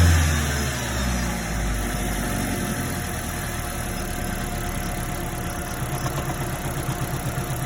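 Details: 2010 third-generation Toyota Prius petrol engine idling with a rough, rapid low knock, overheating damage after the electric water pump failed, code P261B, check engine light repeatedly cleared and ignored.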